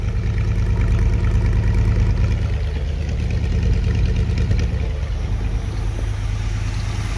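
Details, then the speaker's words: 1964 Chevy Corvette 327 with Edelbrock carburetor, after about 45 minutes of tuning: steady throaty idle at about 900–950 rpm, even pulse around three beats a second, no misses; carb dialed in, normal idle. "could maybe come down on the idle just to spoke but it's right about 9 50. that's about 45 minutes into adjusting still about 900"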